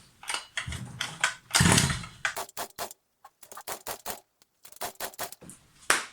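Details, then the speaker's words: New Rovan Baja 5B 29cc RC car, primed and on choke: repeated pull-cord rasps with faint chuffs and no catch. It feels like no spark though fuel is going in. "This car should not be struggling like this. It should have started on the second pull, but I can feel when I pulled it, well, it seems like there's no spark."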